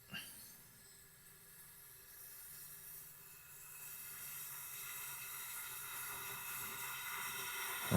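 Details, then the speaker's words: Leak-down test on a Tecumseh small engine at 80 psi, with the flywheel held near top dead center. A steady, airy hiss swells as pressure rises, with air blowing out the exhaust; a slight leak at the head is also noted. Exhaust valve leak on leak-down test. "And it is just blowing out of the There we go. There. I got it to close up. So, it's definitely we got definitely have a valve issue of some kind."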